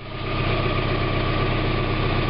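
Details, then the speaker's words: 1991 Mazda MX-5 Miata after new catalytic converter installed, just started and not yet warmed up: steady even idle with smooth low beat, no ticking or puffing and no leaks at the exhaust flanges. "Alright, I got it running now, in case you can't hear it. And there's no leaks around any of the flanges right now, so that's good."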